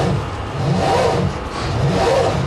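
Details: Big high-compression engine in THE40 on its old weak batteries, before fitting two Exide Orbital batteries: labored, slow turning with sagging swells about once a second and no catch; slow cranking from weak batteries.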